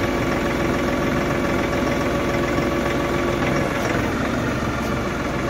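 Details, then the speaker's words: LS XR4145C tractor at idle, with a flow restriction valve added to the loader bucket return line. On curl and dump, the steady diesel idle sags slightly and deepens as the hydraulics take load: the engine lugs under hydraulic demand. "so pulling it back you hear the tractor lug down to a little bit"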